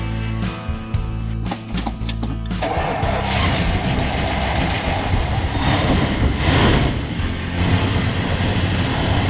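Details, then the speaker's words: 1977 Mexican-built Dodge Dart wagon, 360 V8, after overheating; water pump shares a belt with the charging system. Starter cranks briefly, then it catches and settles into a steady, even idle with no misses or knocks; runs healthy. "Well, she's purring like a kitten again."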